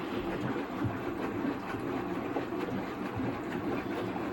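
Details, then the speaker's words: Miele WS5073 professional washing machine converted from sluice drain to domestic Miele drain pump, leaks patched with silicone: low steady rumble with soft repeating thuds as the drum tumbles one way, no grinding or banging; normal tumbling. "seems to have like a pretty it's only spinning one way but it seems to give a back and forth agitation no it's not it's it's tumbling all right"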